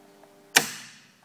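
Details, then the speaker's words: Ice bank control board with the probe wires disconnected, at power-up: one sharp relay click over a quiet hum as the relay energises; the control was linked out so the system ran on the time clock only, and the ice level selector switch was faulty. "basically as soon as you power up i don't know if this is wide right you know because i can hear that relay clicking after the solenoid then we'll take the live wire out in case it's getting a backfeed something's wired wrong here"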